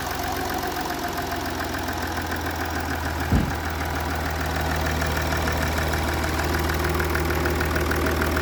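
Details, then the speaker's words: Jaguar XF S 3.0 diesel at idle after fitting a new injector washer and seal: steady even diesel clatter with one brief knock, no chuffing or puffing; earlier tapping and smoke fixed, normal idle. "That sounds alright, though, That's 100% better. I think that's fixed it."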